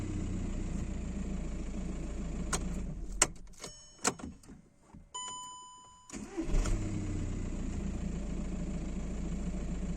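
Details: 2009 VW Jetta 1.9 TDI (BXE) after replacing camshaft position sensor with OEM part (Delphi unit kept P0341): brief crank, catches at once, steady diesel idle; hard start and P0341 cured; normal quick start.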